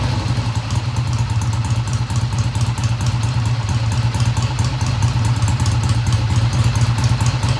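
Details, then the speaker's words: 1971 Triumph T120 twin, first cold start after cleaning pilot jets: even, steady idle with deep low thump around two per second, no knocks; idle fast at first then kicked down, healthy, no tach fitted. "Sounds good to me. I don't have the tach hooked up, I'll do that. The idle sounded fast at first, but then it kicked down."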